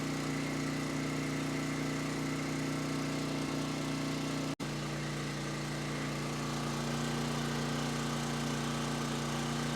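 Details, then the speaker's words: Coleman Powermate 6250 generator (PM0545007.01), Briggs & Stratton GenPower 305 10 HP OHV engine, first run after tune-up and reassembly while warming up before an oil change: steady even drone, no hunting or surging; runs well but wants a little choke. "All right, seemed to run pretty well. Seemed to want a little bit of choke, which is probably about as good as we're gonna get with this carb."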